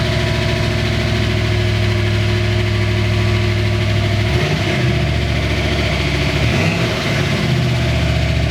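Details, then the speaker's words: Ford Bronco V8 with a Chevy 700R4 transmission, which made a serious engine noise after an exhaust cutout was installed: a steady low burble, then the revs dip and stumble around four seconds, an unstable idle; owner suspects a vacuum leak. "I'm gonna hit the gas, and then it's gonna rev up, obviously, and then it's gonna like die down."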